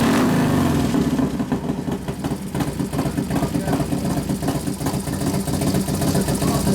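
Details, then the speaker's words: Newly built 1993 FXR Evo 89ci stroker Harley V-twin, first runs, warming up, accelerator pump turned down, air cleaner off: lumpy, loping idle, steady and even with no knocks or misses; healthy, idle mixture not very sensitive. "sounds good we got to readjust it once you put the air cleaner on yeah of course it's not real sensitive the idle mixture"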